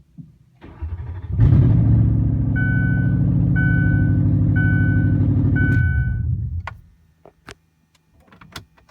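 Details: Lincoln LS, catalytic converters cut off, ignition coils loosely sitting on plugs without bolts: cranks, catches and settles into a loud lumpy idle with uneven thump through the open exhaust; misfire from unseated coils.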